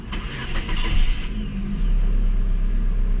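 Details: Kia Rio that would not start when the check-engine light failed to appear at ignition-on, after technician repair with the computer box and battery reinstalled: short crank, fires right away, settles into a steady even run. Normal start.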